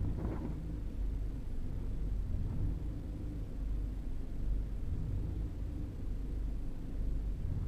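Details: 2011 Ford EcoBoost engine at startup: rough, uneven idle with rpm wandering up and down on its own, not caused by the throttle pedal; cause unknown.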